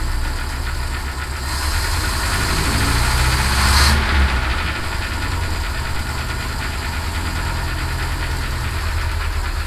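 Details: Citroen HY van, just started after no-start repair, air filter off: low, steady thrum at idle with even beats and no rattle or misfire; runs normally, some blow-by visible.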